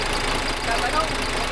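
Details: Freshly overhauled diesel engine idling after a successful rebuild: a short stretch of even, steady rumble with no knocks or misses.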